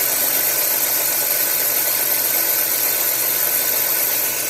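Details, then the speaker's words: 1990 Chevy Lumina 3.1 V6 at idle after replacing the worn serpentine belt tensioner: a constant, steady high-pitched squeal over the idle; the belt is still slipping, and the owner suspects the belt itself needs replacing. "This one's shot. I still got a little bit of a noise, you can hear it. I may have to take and get another belt."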